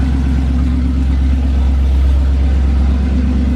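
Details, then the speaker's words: 440 big block taken from a motorhome, installed in a 1970 Plymouth Duster after sitting six months to a year: it fires first try with good oil pressure, and its deep, loud, even rumble picks up smoothly on a throttle blip. It runs strong and clean. "running really really good Idols that fired up first try it's been sitting for probably almost a year like six months or something crazy"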